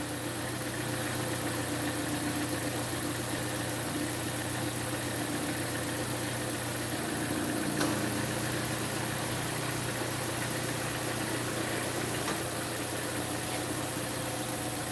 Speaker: and I hear I hear the exhaust the exhaust leak down past the cat on the back side of the cat in that it's basically in the flex pipe because there's a flex pipe in it the flex pipe is broke